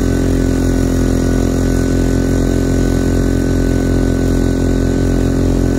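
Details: Quieted diesel generator in a bus RV conversion on external fuel, under load beside the old inverter generator: constant even drone, steady hum, no hunting, knocking or surging; barely loads up; normal running.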